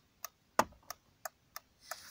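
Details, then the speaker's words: 2001 VW New Beetle after repairing the indicator/hazard switch, hazards on; crisp, evenly spaced clicks about three a second with a quiet background. The hazard flasher relay is cycling normally. "does it seem to be working nicely there's a nice click inaudible click as well"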